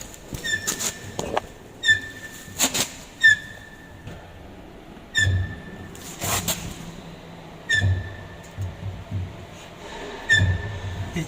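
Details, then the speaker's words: DFM Succe, rear left wheel: short sharp high squeaks every couple of seconds with dull clunks from a dirty rear drum brake; noise stops with the brake applied and returns when released, fixed by cleaning the drum. "Yani bu arkadan harflerinden bir ses geliyor şimdi bunu çekip frene bastığımız zaman ben gelmiyor ses bize frenin indiriyorum Ondan sonra ses geliyor"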